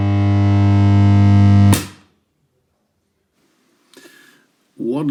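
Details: 1963 Fender Princeton Brownface at first switch-on, run through a deteriorated 220-to-110 V step-down transformer: loud steady low hum with buzzy edge, unchanging for about two seconds, then cuts off; cause not yet known. Loud hum.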